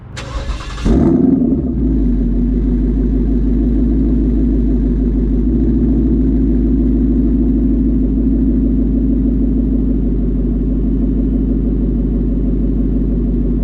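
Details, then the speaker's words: Tuned 2019 Ford Mustang GT (Lund 93 octane tune) after Ford replaced a sticking throttle body under warranty: quick crank and rev flare settling into steady even idle; no more popping, healthy. "all right so there you go guys it seems to be working so far so good no more popping sounds"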